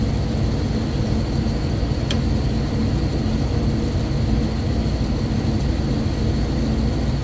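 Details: Rooftop exhaust fan after replacing slightly loose belts with AX20 belts and tensioning them: even, steady whoosh and constant hum with no belt slap or squeal; running smoothly.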